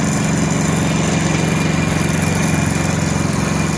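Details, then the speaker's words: Hero Splendor Plus single-cylinder bike idling with a loud, busy mechanical rattle over the exhaust beat from the engine; the timing chain set was badly worn, with its roller badly damaged. "Bike के engine से timing चैन की आवाज आ रही है क्योंकि bike का जो timing चैन का सेट है वो बिल्कुल ही खराब हो चुका है"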